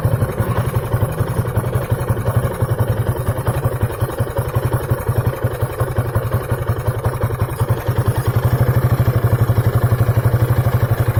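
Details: 2003 Piaggio Beverly 500ie scooter idling roughly with misfire, popping "popcorn" and stalling; throttle body, head, fuel pump, temp sensor, plug, coil and relays changed without effect, fixed by ECU replacement.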